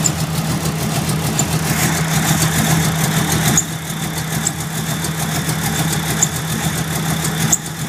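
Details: Mustang engine, rough-running since first fired up; uneven, loping idle with wavering low drone instead of a smooth hum, rough idle with cause not pinned down.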